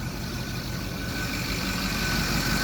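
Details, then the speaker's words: Ford 6.0 diesel deck truck idling with turbo pipes off, exhaust blowing out open; uneven lumpy beat with a cylinder dropping out, engine missing at idle despite good fuel pressure (ICP about 50, minimum 45 wanted). "can hear that it's missing obviously we're just don't have the turbo pipes on so we're just blowing it out there"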